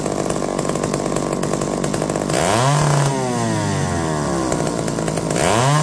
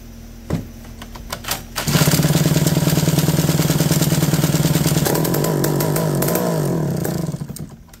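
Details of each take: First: McCulloch D44 two-stroke chainsaw, revived after 15 years: buzz drops and swoops back twice in six seconds, cutting out intermittently under resistance despite hot spark by hand; owner suspects coil, not confirmed. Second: McCulloch D44 chainsaw revived after reportedly 15 years unused and a history of hard starting: a few pulls, then it catches and holds a steady high buzz, pitch dipping and recovering before shutdown; runs cleanly, could use a little more revs.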